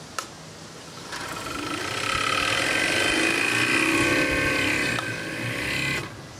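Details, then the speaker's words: Mitsubishi compressor from a York AC unit run alone on a VFD at about 40 to 50 Hz: smooth hum rising in pitch then steady, no knocking or rattling; star-wound motor, compressor sounds healthy, normal run. "interesting that sounded quite healthy that compressor sounds healthy"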